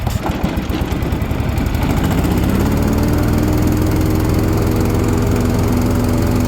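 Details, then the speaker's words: Toro TimeCutter 42-inch zero-turn mower after a drive around the yard: the engine catches, climbs in pitch over two seconds, then holds a smooth, even drone with no misses, normal running. "$500 folks $500 not a thing wrong with it runs like a top spins like a top"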